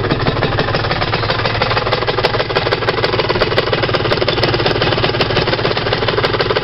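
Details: Rs 125 motorcycle engine: fast, uneven clinking rattle of about three ticks a second over a busy small engine; the source is unclear, and it does not rattle at 30 km/h in 4th-5th gear.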